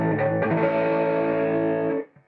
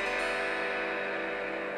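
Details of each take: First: Marshall Valvestate guitar amp with dirty effects loop bypassed, preamp out patched straight into power amp: clean sustained guitar chord rings out with no crackle or dropouts, then decays; output restored, loop contacts need cleaning. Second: Dead Marshall Valvestate guitar amp, boost channel on with guitar plugged in: thin, faint sound that should be ear-piercingly loud; signal choking at dirty effects loop contacts between preamp and power amp.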